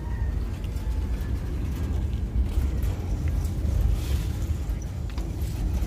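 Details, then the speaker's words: New Centurion D10 sliding gate motor during limit setup, travelling at full speed after slow runs to both end stops; even low rumbling drone, no grinding, knocking or straining, normal running. "Okay, so after going slowly to the first end stop and then to the second end stop, the gate has run fast and then it opens and closed."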